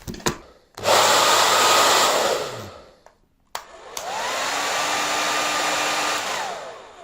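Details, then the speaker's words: Sembo hair dryer, fault fixed during disassembly: an even, strong rush of air rising and falling smoothly as the motor spins up and down, carrying heat away from the heating element; normal running. "یہاں سے ہوا کا زبردست استعمال ہوتا ہے۔ لہذا، یہ دونوں اندر مزاحمت میں بننے والی حرارت کو باہر کی طرف منتقل کرتا ہے اور بالوں کو صحیح طریقے سے خشک کرتا ہے اور مزاحمت کو مزید گرم ہونے سے روکتا ہے۔"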